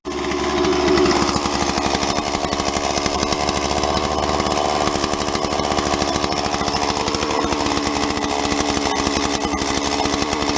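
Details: Stihl MS170 chainsaw after oiler repair (oil feed from tank bottom found as cause, bearing greased): fast, even two-stroke buzz holding steady at high revs with no misses or sputter; saw runs healthy and oils.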